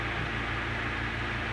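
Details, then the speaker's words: Antique Emerson 16-inch desk fan, type 73648, after fitting correct head wires, running on high at about 110 V drawing just over 3 A settling to 2.75 A: even airy rush with low motor hum, no ticking or scraping; healthy. "now it's not high you'll hear it slow down when i drop it down medium and it still picks up speed"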